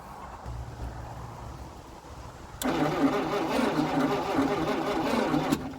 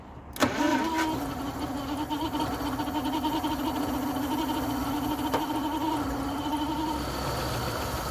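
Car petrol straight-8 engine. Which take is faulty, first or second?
first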